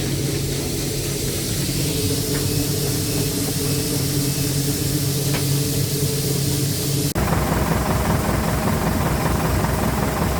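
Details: Massey Ferguson 40 combine with Valmet 6-cylinder diesel, first harvest after sitting 3 years and repairs: steady, even six-cylinder drone with a smooth low beat under machinery hiss, no knocks or misses; normal healthy running.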